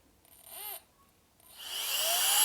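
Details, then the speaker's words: Alffaa Violent Turbo Fan electronic air duster: short whirring start cuts out, pause, then motor winds up smoothly to a high hiss; start stutters randomly, sometimes 1.5 s, harder on second gear, here stuck once. "It's kind of random because now it just started on the first try. That one took 1.5. That one took 1.5. It has a harder time on the second gear."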